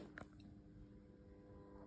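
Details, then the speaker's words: Ensoniq ASR-10 sampler, idle with nothing playing: faint steady low buzz spread across the unit, slightly louder on the right side, absent from headphones, speakers and samples; internal electrical buzz, source not found. "And um as soon as I came home and I turned it on, I'm hearing this buzzing sound."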